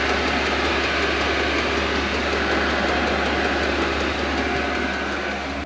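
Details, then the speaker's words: Newly installed diesel heater in a workshop, first fire-up after priming: throaty start, then steady low hum with even rushing roar, no misfires or surging; running normally. "It's making that throaty noise when it first fires up for the first time."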